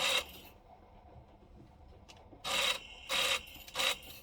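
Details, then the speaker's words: Sound Belle reel-to-reel tape recorder: short, harsh scraping rasps in uneven bursts over a quiet transport as the reels turn; a part that should be rubber has gone completely hard and is suspected of rubbing, not confirmed. "i think i figured out what the noise is i think this is supposed to be rubber and it's gone totally hard completely solid hard"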